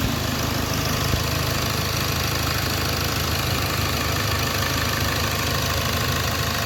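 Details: Hyundai Accent CRDi diesel idling after cranking no-start problem was solved: steady clatter at even idle, no misses or hunting, settled low rumble; idling normally.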